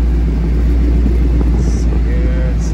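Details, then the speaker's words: Dodge Charger after replacing the A/C blend door actuator, engine idling with A/C on cold: even low hum and steady blower with no ticking or clicking behind the dash; blowing ice cold, and the blend doors are working normally. "Getting going. All right, ice cold, guys, ice cold."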